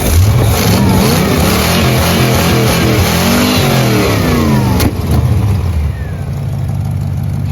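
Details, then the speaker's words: 1984 Corvette V8 with Holley 1460 carburetor, rejetted to smaller jets and not yet retuned: revs up and falls back with a sharp pop on decel; still backfires a lot. "still backfires a lot."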